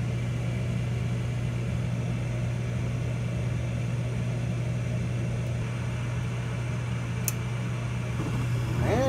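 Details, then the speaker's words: York Diamond 80 gas furnace on a no-heat call: after the stat clicks the inducer motor runs with an even low hum, then the igniter ticks and the burner lights with a rising whoosh; normal inducer and ignition start-up. "Stat clicked. I hear an inducer. Inducer's running. And we have an igniter."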